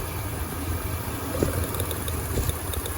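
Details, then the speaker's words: 2003 Mitsubishi Montero Limited; the previous owner was told the timing belt had snapped. A rough, uneven idle with a loping shake, sounding like a misfire. "but it's got a little bit of a shake to it it's now I lost a here but what I was saying is it sounds like it's got a misfire"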